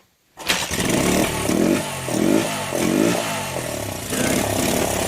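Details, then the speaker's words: 41-year-old imported Honda XL125S single-cylinder first started after fuel was added and a bit of choke, float suspected stuck; fires up, then surges and sags unevenly under blips, sticking carb float. "At least we know it's a runner. Right, we'll start doing some of the other bits on it now. Maybe have the carb off and clean it, because it's float sticking on it."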